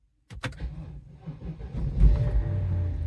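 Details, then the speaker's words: 2007 BMW X5 4.8i E70 V8 start after replacing all eight worn spark plugs to cure hard starting: short crank, catches almost immediately and settles to steady idle; normal quick start. "started right up fresh spark plugs work wonders"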